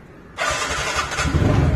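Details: 2018 TVS NTORQ 125cc scooter after replacing its 3-year-old battery that caused a sudden no-start: quick starter whir, engine catches at once and settles into steady, even idle; clean, healthy electric start.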